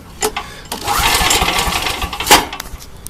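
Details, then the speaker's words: Old Coleman generator with a Vanguard single-cylinder engine on old ethanol gas. Its Champion RC12-type spark plug has probably never been changed and is suspected as part of the problem. Runs raggedly with uneven surging bursts: rough running from a fouled spark plug. "here's part of the problem now I don't think I ever change this plug"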